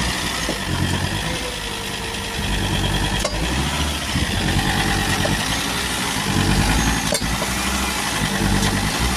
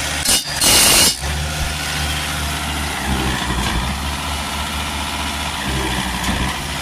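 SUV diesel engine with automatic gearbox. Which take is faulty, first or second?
first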